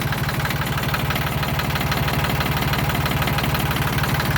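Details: 1979–1981 Yanmar YM1610 tractor diesel, first start after about 10 years sitting: steady chug at about two beats a second, even and unbroken with no knocks or misses; healthy idle.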